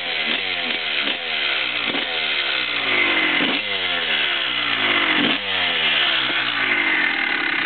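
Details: 2001 Honda CR250 two-stroke at first startup just after rebuild with Wiseco bottom end and Pro-X piston: crisp clean even running, picking up and settling with each blip, no rattles or misfires; healthy.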